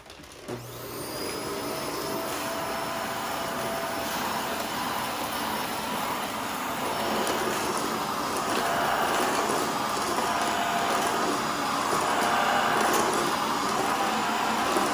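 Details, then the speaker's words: Shark Rotator NV520 vacuum picking up baking soda: strained hollow roar with rattly whoosh, not picking anything up; debris packed in cyclone and filter, clogged cyclone choking suction. "not picking up anything now you hear all that sounds now here's why now did some make it to the bin yeah that's not very much actually look how much is in the cyclone right here"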